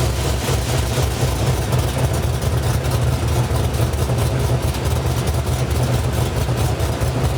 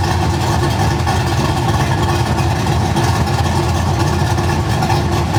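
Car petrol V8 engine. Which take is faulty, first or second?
second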